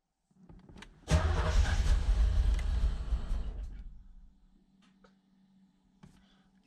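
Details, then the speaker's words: 1986 Chevrolet Corvette C4 Z51 V8, manual, first start after over 20 years in storage, oil pressure good: cranks and catches, runs loud and uneven with a lumpy, stumbling beat, then falls quiet; rough running. "kind of thing sounds terrible all pressure is good sounds terrible"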